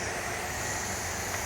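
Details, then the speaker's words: EasyRoute CNC router vacuum table with water-fed pump running, spoilboard sealed with silicone: constant airy hiss over the pump roar from air leaking past the spoilboard; leak points marked, to be resealed with more silicone. "So right now you can hear that there is a shh sound like my mom when I was growing up forever sh. So we need to go find those things and snub them out."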